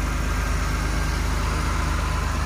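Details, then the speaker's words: 2001 Toyota Supra RZ factory twin turbo with manual swap and street-legal muffler, hood open: smooth, even, deep idle with a steady low pulse, no belt squeal, ticking or knocking; normal, healthy idle. "sounds like brand new nothing out of the ordinary no no belts or squealing the previous customer took really good care of this car"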